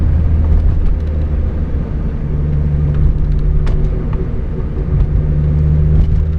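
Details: Mazda Miata rear differential: steady low whine under road rumble when holding speed, fading under hard acceleration or deceleration; ring and pinion gears found badly chewed up.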